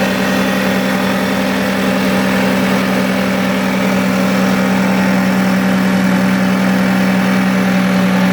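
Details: 2006 Toyota Avalon 3.5L V6, run after reassembly to check the serpentine belt system rattle (it had overheated; water pump was first suspected). Smooth, steady idle with an even hum and no belt-side rattle; the drive sounds healthy: normal idle.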